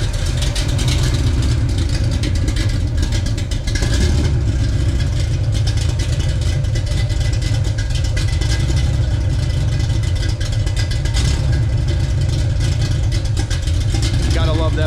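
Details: Pontiac 421 bored .030 over with 1969 big-valve heads and a strong cam, carb jetted for a stock 389 and running slightly lean: a loud, heavy, lopey rumble that holds steady, warm at 170°, 40 psi oil, just under 800 rpm; normal cam idle.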